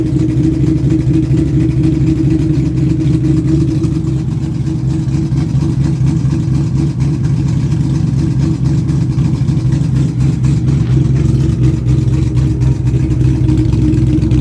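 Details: 2000 Mustang GT 4.6 V8, forged bottom end, bored 30 over, Patriot stage 3 heads, shorty headers, Borla cat-back: fast light top-end tick over lumpy idle, quickening with throttle blips; owner suspects failed cheap valve guides or timing chain, unconfirmed.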